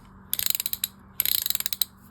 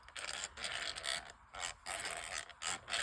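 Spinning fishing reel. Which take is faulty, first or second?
second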